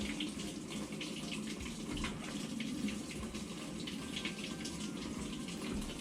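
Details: Kenmore (Whirlpool-made) top-load washer, model 11020372710, in diagnostic mode toggling the fabric softener fill valve; steady hiss of water flowing into the tub with no buzz or chatter, normal softener fill.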